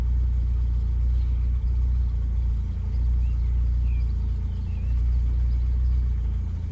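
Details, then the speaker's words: Austin Maxi with new K&N air filter, oil pressure and vacuum gauges fitted, engine not fully warmed up, good oil pressure: rises smoothly from idle and eases back, even low note, no knocks or rattles; owner says engine feels tight, not worn; healthy revving. "I know this engine's really good. Everything still feels nice and tight on this engine. It doesn't feel wore out."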